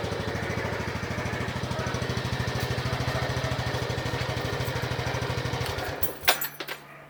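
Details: Honda Biz 125 EX, 2,900 km, about 3 months old: single-cylinder chugging at steady idle about three beats a second; owner reports an intermittent catching scrape the dealer dismissed, not clearly audible here.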